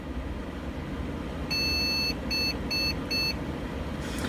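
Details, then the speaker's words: Asus H81M-E motherboard at startup: one long beep then three short beeps, the POST code for video failure, caused by its damaged onboard video port; the board works with a graphics card installed. "That is the code to say that your video isn't working."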